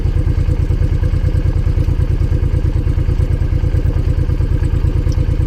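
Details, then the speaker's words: Honda VTX 1800 fuel-injected V-twin, warming up after a spark plug change: steady loping beat at about three pulses a second, idle easing down, no knocks or misfires; healthy warm-up idle. "So as you can hear now, the RPM is dropping a bit. It's dropping and dropping."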